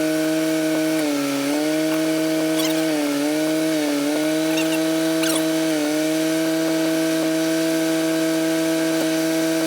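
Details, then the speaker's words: 1964 Clark Clipper forklift after mast cylinder rebuild, lifting with operator standing on it: steady mid-pitched pump whine sagging in pitch each time the mast takes load, running out of hydraulic fluid; pump whine from low fluid. "I think we're out of Yeah. Yeah, I hear it. We are out of fluid. I'm going to shut it off."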